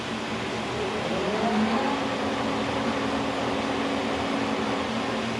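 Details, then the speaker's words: K&T milling machine's first run after a kerosene flush and oil refill, spindle at 1,000 RPM while stepping through the gears: even, steady gear whir and smooth hum with no knocks or grinding; it sounds healthy. "There's 1,000 RPM. It sounds good. I'm actually really happy about that."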